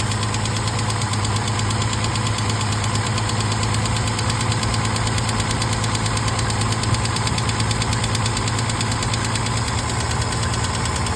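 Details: 1968 Mercedes-Benz 230 after Zenith 35/40 INAT carburetor repair (stripped fuel inlet, rebuilt fuel return valve), first start in about a month: fast, light uneven ticking over steady idle; owner says lifter tick present for 30+ years.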